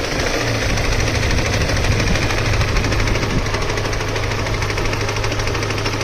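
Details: Deep, heavy, uneven bottom-end knocking thumps, roughly two to three per second, over a rough-running engine; owner asks whether it is a connecting rod, a spun bearing or something else, and how to fix it. Cause unconfirmed.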